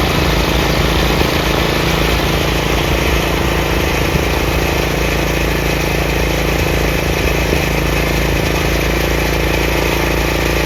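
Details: Craftsman 30-inch rear engine rider mower, after the throttle lever and PTO repairs: a constant, even single-cylinder drone with the blades engaged and no grinding, squeal or labouring. Normal running.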